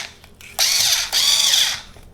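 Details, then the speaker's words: Einhell BT-SD 4.8F electric screwdriver after fixing its noise: two short high-pitched whirs spinning up smoothly, no rattle or grinding; much quieter, stronger and faster, running healthy. "Better noise, much better noise, and I feel much better speed."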